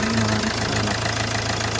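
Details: 2017 Hyundai Accent CRDi diesel after its crank-no-start problem was repaired: steady, even diesel idle with a regular low beat and no misses or stumbles; running normally now.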